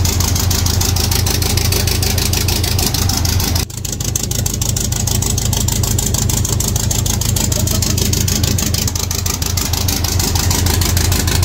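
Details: 1.8T 20V Audi A4 B7 on its first start after a big turbo, external wastegate, boost pipes and new coils were fitted: catches, steady even idle pulse with one brief dip, then smooth, no knocking or misfire; normal idle.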